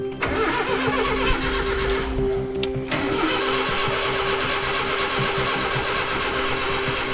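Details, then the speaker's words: Datsun truck engine being rebuilt, first start attempt: steady starter churn about four beats a second that never catches or fires; cranks but won't start, no spark, possibly distributor/oil pump timing installed wrong. "spark ain't sparking."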